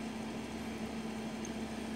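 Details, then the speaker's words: Glacier G55 12 V fridge, microphone up close at compressor and condenser, no error code: quiet, steady compressor hum with constant low tone, no rattles or knocks; normal running. "there is no error code just another short burst of a compressor and the condenser operating up close again to get the noises and hopefully you can hear that there's no inappropriate or undo annoys"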